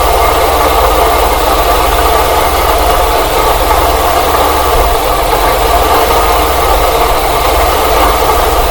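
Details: Engine idling, listened to through a funnel-and-hose stethoscope near the front pulleys: constant rough whirring that doesn't change; owner suspects the water pump bearing though the pulley shows no deflection, tensioner pulley earlier suspected; not confirmed; bearing noise at idle.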